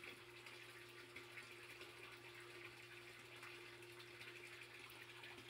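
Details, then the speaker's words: Three-quarter horsepower sump pump running but air locked: air bubbles trapped in the water collect under the pump and plug it, so a low steady motor hum over a faint trickle and gurgle barely moves water. "the pump is actually running right now but it's not moving very much water"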